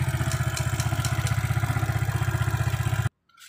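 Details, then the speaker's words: Motorcycle electric starter: steady rapid clicking, about four per second, with no cranking. The fault is in the starter motor (dynamo). "ini ada masalah di dinamo staternya kita coba bongkar saklar"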